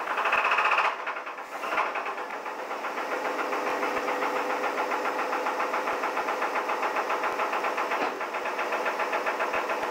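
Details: 1983 Chevrolet S10 4x4 with 2.8 V6: a hard, deep knock repeating three to four times a second at idle, steady and unrelenting. This is a rod knock on the #1 cylinder from a worn connecting rod bearing.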